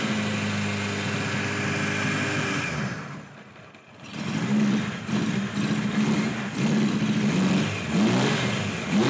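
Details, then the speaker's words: 1976 Kawasaki KZ900 A4 four-cylinder project bike on its first run after fueling the carbs, which was hard to start: it sags almost to a stall, then stumbles back with ragged, uneven revs that never settle; rough running. "the clips you just saw were running yesterday I didn't want to keep you in suspense any longer and it doesn't run that well as you can see"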